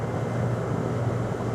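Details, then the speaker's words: AC outdoor unit compressor that would not start, now kicked on: even steady low hum with no clatter or stalling, drawing about 7 amps steadily; capacitors still to be checked. "I'm so glad it's running. That's awesome. We got to check capacitors though now. Compressor is still running."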